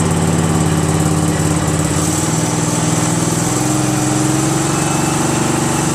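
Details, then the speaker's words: Craftsman GT6000 garden tractor freshly repowered with a Briggs & Stratton Vanguard 16HP horizontal-shaft engine on its first run. A steady beat stumbles and sags as the engine dies out, believed to be running out of gas. "probably out of gas now for sure"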